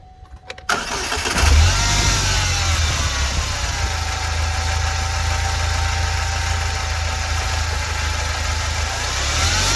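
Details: Saturn Sky engine after replacing a drive belt tensioner whose bearing was worn: cranks, catches and settles into a smooth even idle, with a brief rev-up partway through.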